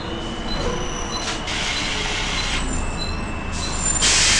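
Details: Volvo B10BLE bus (R339GHS), recorded October 2010: a steady, piercing high-pitched squeal holds above the running bus and sharpens toward the end; source not identified.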